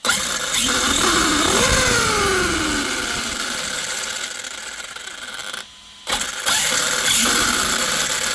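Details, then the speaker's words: Arrma Kraton 6S EXB 1/8 RC truggy after filling center diff fluid and remeshing motor pinion; whine rises and falls smoothly at high throttle without the harsh screech of a too-tight mesh: normal gear mesh after fix. "a lot better so so far we have put fluid in the center diff we've remeshed the motor and that noise seems to have calmed down hell of a lot on high throttle"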